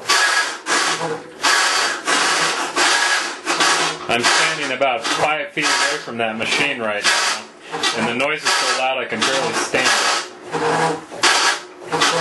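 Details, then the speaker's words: Maytag Centennial Commercial Technology washer, about 14 months old, overloaded for demo, agitating rinse water, recorded ~5 feet away: rhythmic gravelly grinding bursts following each agitator stroke, owner estimates 100–110 dB; drive grind, source unconfirmed. "I think I lost at least 10% of my hearing over that"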